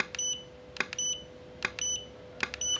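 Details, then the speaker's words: Godox V850 speedlite after repair, test firing at 1/4 power: crisp flash pops each followed by a short high chirp, about 75 per minute; normal firing and recycling. "Iya reloadnya juga bagus ya teman-teman ya dua detikan seperti itu ya"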